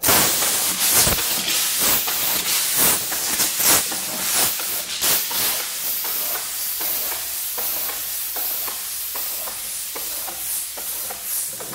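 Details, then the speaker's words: RV tire with Multi Seal sealant, three-quarter-inch spike pulled out while tire spins: sharp hiss pulsing about once a second that fades as sealant self-heals the puncture; tire puncture air leak sealing. "so as this comes out I'll spin the tire and you'll hear it stop hissing"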